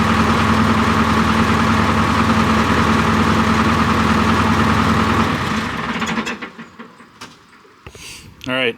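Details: John Deere 245G excavator diesel after emissions delete, cold start after repairing the over-fueling No. 3 injector behind the black smoke and fuel knock: even, steady diesel beat with no knocking, then quiets; runs clean.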